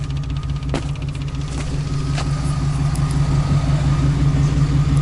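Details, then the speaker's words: Volkswagen diesel newly installed electric lift pump priming fuel system: steady low electric hum with faint even pulse, no stutter; pump moving fuel normally after earlier low pressure. "we're moving fuel now or moving fuel now so let's go ahead and now that we know that this works and its Prime's shut it off and quickly plug it back"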